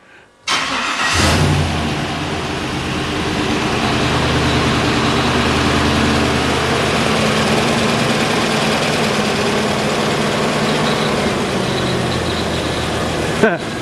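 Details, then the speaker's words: 1956 Chevy hot rod with a newly installed modern LS V8 and freshly built exhaust, at start and idle: catches quickly, settles into a steady, deep, even burble with no knocks or misses; healthy engine. "the toss-up actually no yours has got a better rumble than mine as little abrumble as that is it's got a wee bit more than mine"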